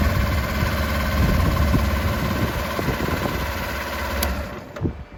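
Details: Current Kawasaki Ninja 250 twin, starts well, at idle: uneven mechanical rattle mixed into the beat, roughly four pulses a second; abnormal engine noise, cause unclear.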